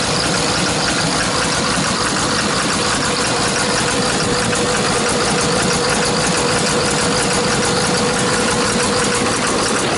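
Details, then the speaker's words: Hyundai R290LC-7A excavator diesel with black smoke and knocking, at idle: loud harsh clatter with irregular knock and stumbling misfire, injectors removed for bench testing as suspected faulty. "Клиент утверждает, что есть проблемы с двигателем. Двигатель работает с перебоями и так далее."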